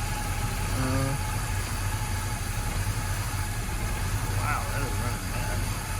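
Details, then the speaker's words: Chevrolet C10 square-body pickup after one short drive, with brake caliper possibly sticking and a fuel filter unchanged for nearly 10 years: low, uneven, lumpy idle with no steady rhythm; rough idle, owner suspects debris sucked up from the fuel tank bottom. "You can hear how it's running now, though. It is running terribly."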